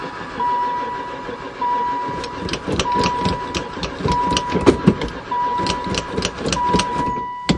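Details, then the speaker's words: Van sitting about four years, battery connected: starter whirs in repeated bursts with steady compression pulses but engine never fires; crank no start, owner suspects no spark. "I wonder if it's got any [Music] spark. Don't seem like it. Never fired once."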